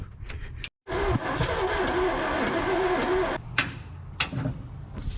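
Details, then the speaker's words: 1978 Ford F250 crew cab, abandoned for decades with a stuck engine, now being started: rough cranking with sharp, irregular pops backfiring through the carburetor; owner suspects ignition despite rechecking it and swapping the plug wires. "Just got a little backfire out of her, guys. I don't know. It's making me think uh ignition."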